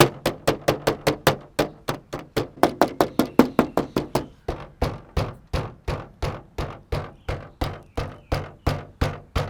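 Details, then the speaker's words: Car bonnet vent jiggled by hand: sharp plastic clacks two to five times a second; whole fitting loose with clips likely broken and fins broken away from age and sun. "so i've got two rattles here now i'm going to play the rattle for you so you get an idea of how annoying it is"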